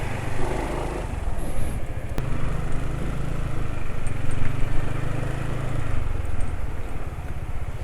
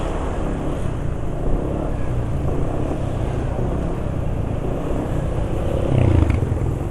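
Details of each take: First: Engine running on Rock Oil with STP Oil Treatment additive, after riding home (144 km on the oil): deep, steady drone at constant speed with a coarse, grainy texture; still rough, engine braking sound only slightly reduced. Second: Scooter engine after about 40 km using Ultraline 2T two-stroke oil as engine oil, after STP treatment and flush; steady low drone with no ticking, knocking or grinding, smooth vibration, rpm not dropping quickly; running fine.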